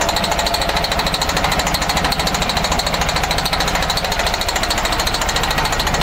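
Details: MCI coach with a Detroit Diesel Series 60 DDEC6 (425hp) hammers roughly at idle on only three of six cylinders; the cause was the external engine wiring harness, and after repair it ran on all six.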